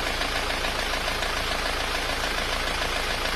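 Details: Isuzu Panther diesel after engine rebuild, rough since the overhaul though fine before: sharp tak-tak knock about three per second over the idle; suspected piston problem.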